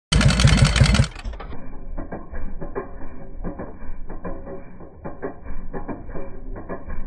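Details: 1978 Harley FLH with a Barnett Scorpion dry clutch: loose metallic clatter, about two to three rattles a second, over a lumpy V-twin idle; noisy clutch rattle.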